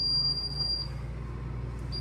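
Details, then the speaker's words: Frigidaire Professional side-by-side fridge FPRH19D7LF1: high steady door-ajar alarm beeps over a low hum every few minutes, light off; defrost water dripping from evaporator compartment onto the door switch and shorting it. "All the water that's coming from inside of the fridge is going straight on top of this door switch, and this is the main problem here."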